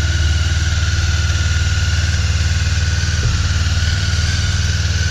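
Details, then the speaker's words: Honda CB 500 (499cc) twin, just started after six months' winter storage on choke: steady even idle, smooth low beat about four pulses a second, no knocks or misses; runs pretty well, normal cold idle. "it runs pretty well"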